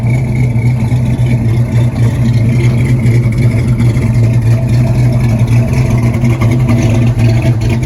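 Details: LS-swapped C10 pickup, 6.0 with 243 heads and cam of roughly 575 lift, after retune, cruising: steady deep V8 drone with even lopey cam pulse, no knocks or misses; running healthy and responsive.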